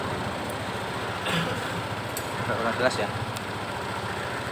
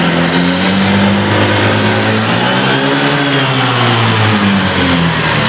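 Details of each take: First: Honda PCX scooter that had been losing power and bogging at full throttle, idling after the right-hand throttle-opening sensor reads normally again on the scan tool: an even, steady putter with no misfires, stumbles or hunting. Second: Honda PCX scooter, fuel pump pressure and spark plugs checked OK: smooth at gentle throttle, but at full throttle the engine drones flat and sags instead of climbing; bogging blamed on a faulty throttle sensor.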